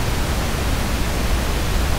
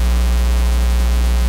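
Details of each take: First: you should hear that noise and not your phono stage hits the phono stages should be below that and if so you're doing great you're going to have outstanding system Second: all right that's horrible you don't want that no the usual cause of this is a missing Earth ground right you need a connection to Earth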